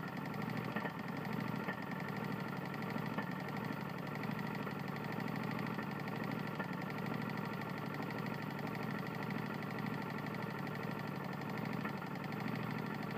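Small single-cylinder engine running steady with a sharp, fast knocking riding under the exhaust note throughout; a badly worn connecting rod.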